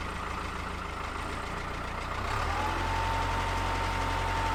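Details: 1970s Caterpillar D3 LGP dozer with a Cat 3204 diesel, unused for 25+ years. It would not start on 12 volts direct to the starter, but on 24 volts it cranks slowly, catches after about two seconds and settles into a steady low rumble with a faint whistle.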